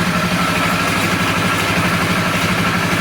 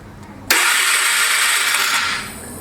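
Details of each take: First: Polaris 325 ATV single-cylinder engine after flood damage, water in engine, rebuilt with heavy oil on piston, rings and cylinder, first start: loud idle with light metallic rattle on each firing pulse from the loose carburetor bracket; may smoke from the oil. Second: Flood-damaged Polaris 325 ATV, engine freed, new key switch, starting via the handlebar start switch after finding neutral light: sudden sharp whirr spinning steadily about two seconds then tailing off; starter turning the engine over normally.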